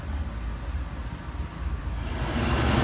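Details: Tandem scroll compressor set being checked for overheating, 14 degrees superheat: this unit's steady low hum with even pumping rhythm building slightly; compressor pumping and running normally.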